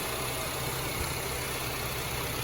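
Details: 2006-2011 Honda Civic 1.8 after alternator replacement with a remanufactured unit charging 14.1-14.2 V: smooth, even idle with a steady low rumble and no knocks, squeals or whine; engine and charging system healthy.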